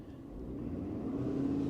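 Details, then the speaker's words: Ford F-250 Super Duty 6.7 Power Stroke diesel, facing 50 mph derate from emissions fault: forced DPF regeneration started with scan tool, idle pitch climbs over two seconds and settles higher; normal idle rise at regen start. "Wow, that was fast. Thing idle right up. This could take up to 45 minutes."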